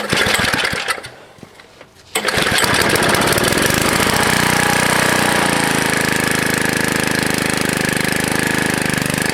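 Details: Old Ariens 1960s snowblower with HS50 engine, pull-started on hand-held choke in January: after a brief lull the small engine picks up and holds a steady, even buzzing run, sounding healthy.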